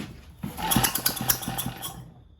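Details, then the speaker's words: Vintage Lauson single-cylinder engine on a jump starter, long-stored, fresh oil, first pulls: catches and pops with fast, slightly uneven firing for a couple of seconds on half choke, then dies away; engine running on half choke. "A little half choke."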